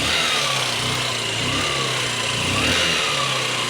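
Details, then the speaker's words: Honda Shine SP BS4 single-cylinder bike idling fast on choke while cold, after the tensioner fix: even, steady beat with the earlier engine knocking gone; won't hold idle until warm. "और दोस्तों जो आवाज थी engine के में से knocking की वो दोस्तों आवाज भी है चली गई है अभी दोस्तों गाड़ी जब तक दोस्तों गर्म नहीं होती तब तक आइडल पर रुकेगी नहीं"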